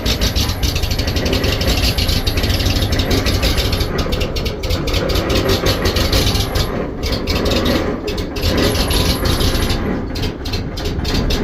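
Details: Oil field compressor engine idling roughly, its beat stumbling and surging with loose clattering on top; rough idle, cause not yet determined.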